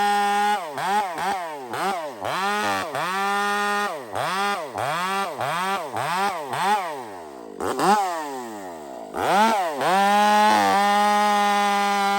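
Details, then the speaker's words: Stock chainsaw on 44:1 mix with aftermarket muffler fitted, cutting in a tree; revs up and sags repeatedly under cut, note blubbering rather than holding a clean scream; running fat, carburetor too rich. "this stock saw is running fat right now and I put that muffler on"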